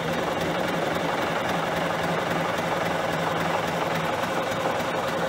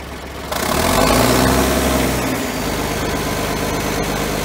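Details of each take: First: John Deere 770A motor grader diesel, sat five or six years, day two of bleeding air from fuel lines at injectors (loosened, air filter off): steady uneven cranking about 3–4 beats a second, never catches; no start from air in fuel lines. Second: John Deere 770A motor grader diesel, sat five or six years, started after fuel-delivery lever fix: fires, revs briefly, drops to strong steady idle with even beat, no stumbling, no smoke; normal idle.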